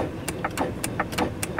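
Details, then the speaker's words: Land Rover Discovery 2 rear window stuck down: pressing the switch gives a few faint irregular clicks but no motor whir; both rear window motors not running while fronts work, cause suspected, not confirmed. "I can hear a click with the down but I've got nothing on the app on either back window"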